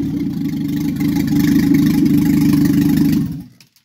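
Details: Triumph Spitfire MK3 engine on first start after a complete rebuild: steady, even low firing beat at a brisk idle, smooth with no knocks or misses, then a clean shutdown; rebuilt engine running right.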